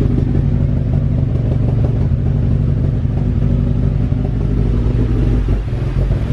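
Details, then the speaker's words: With a nearly dead battery, jump-started cold in below-freezing Texas snow: lumpy, uneven low idle with irregular stumbles and clatter, as if about to stall, with heavy smoke. A rough cold-start idle. "oh no car sounds like he's gonna die and a lot of smoke car sounds like all right so i shut off the car really smoky let me attempt to set it up again it was idling really weird"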